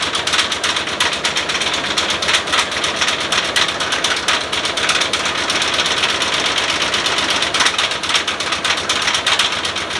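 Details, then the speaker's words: OBS Ford crew cab truck, fresh battery; sharp metallic knocking, uneven, about two a second, oil pressure and voltage fine. Owner suspects spun bearing or rod knock. Engine knocking. "it's really [Music] unhappy I'm really terrified that it's just going to explode all over the driveway the oil pressure looks fine the battery voltage is fine everything looks okay it just sounds like it wants to not be in the engine bay anymore"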